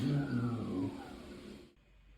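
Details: Hand dryer, Euro model made September 2021, in mid-traffic toilet, filmed November 2024: rough high motor whine sinking steadily in pitch as it spins down to silence; motor sounds worn and noisy.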